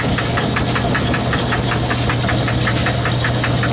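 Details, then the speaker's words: Lathe cutting, turning aluminum: a sharp clack about five times a second over the motor hum, steady with spindle speed, from a broken gear tooth. "you hear that clack clack clack clack that's a broken tooth in my years"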